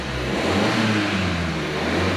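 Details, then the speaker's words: Salvage-auction car at first start, no engine warning lights, given light revs: engine rises smoothly with a steady, even note, no knocking or ticking heard. "sounds good i can't hear any knocking i can't hear anything that's too worrying"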